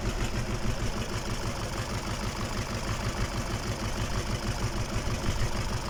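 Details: KamAZ diesel engine on its first start after a major overhaul: an even, low clatter at a steady idle with no knocks or misses. Normal idle.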